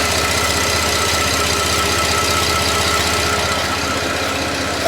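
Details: 2010 Buick LaCrosse V6 (LLT), warm idle after an oil-system chemical carbon-cleaning treatment, microphone in front of the engine: smooth, even idle with a steady quick pulse, no knocks or ticks; no audible difference noticed, sounds healthy.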